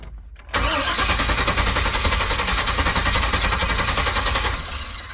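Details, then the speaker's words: 1999 Chevy Express 3500 van with a code blocking start (fuel pressure spec 60–66): it cranks, catches cleanly, runs evenly about four seconds, then dies at once as the immobilizer/security system cuts injection, a start-then-stall immobilizer fault. "por eso es que el carro prende pero al instante se apaga ya que la computadora como decir es corta el sistema de inyección entonces por eso prende como se debe pero se apaga inmediatamente"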